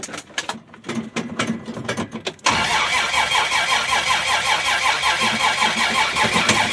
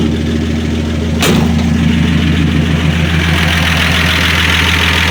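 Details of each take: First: 1965 Dodge Dart, 225 cid Slant Six, cold start with some throttle, fresh gas, choke wide open; uneven cranking about 2.5 s then fast rough cold run, misfiring; hard starting from brand-new distributor cap's disintegrated carbon centre electrode. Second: 1965 Dodge Dart, 225 cid Slant Six, after replacing distributor cap with heavy-duty brass-contact cap and NOS rotor, 6–7 ft straight pipe, no muffler; catches on sharp crank, settles into loud, throaty, even idle: normal start.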